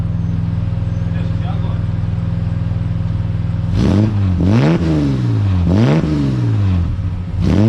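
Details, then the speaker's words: Ford AU Falcon drift car, warm, with a newly installed exhaust. Steady burbling idle, then blips whose pitch climbs unevenly and stumbles at the top: breakup under hard throttle, with the ignition coils suspected. "you can probably hear in the video it's still breaking up under hard throttle so definitely got to fix the uh the coils or whatever it's whatever's carrying on"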